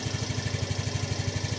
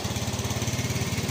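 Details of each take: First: Yamaha Fino 125 scooter with low-throttle hesitation and lack of power: a steady, even, low single-cylinder putter at idle with no misses. Normal, healthy idle. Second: Yamaha Fino 125 scooter: a fast, uneven putter with a wavering pulse as the throttle is eased open. It hesitates on initial throttle, idle rpm is slightly high, and power is held back from mid rpm up (heavy at 40–60 km/h). The stumbling suggests a faulty fuel injector.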